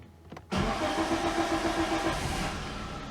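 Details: Geely CK2 1.5 L, warm, after valve adjustment: long crank before catching, cam position sensor error, replacing sensor didn't help; runs rough and uneven, stumbling on blips; timing marks wrong, cam timing retarded; ignition coil also suspected.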